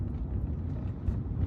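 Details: BMW E82 1 Series with a Bilstein B12 kit, on a drive after Powerflex bushes were fitted to the rear shock top mounts: steady low road rumble with no rear knocks or clunks. The earlier knocking is fixed.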